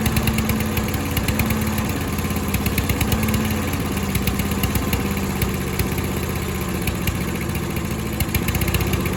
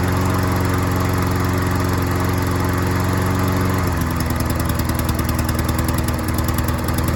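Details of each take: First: Troy-Bilt self-propelled mower after a carburetor bowl cleaning. The small engine runs unevenly with a lumpy, hunting beat that fades toward the end; the float sits unlevel because of a faulty needle seat. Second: Troy-Bilt self-propelled lawn mower after fixing the carburetor needle seat and replacing a leaking gasket: a steady, full-throated drone that shifts to a slightly different even beat midway, with no stumbling or surging; it runs and mows properly.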